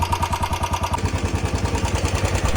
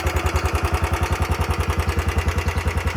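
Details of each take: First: Royal Enfield Bullet 350 BS6 about four years old at idle: single-cylinder thump with a light, fast tick on every beat, likened to a generator or tractor; owner suspects the hydraulic tappets; low oil starving them. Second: Royal Enfield Bullet 350 BS6, about 4 years old, after repair of a tik-tik/khat-khat engine noise and 50–60 km ridden since: clean, regular single-cylinder thump at idle with no ticking or knocking; the engine sounds healthy.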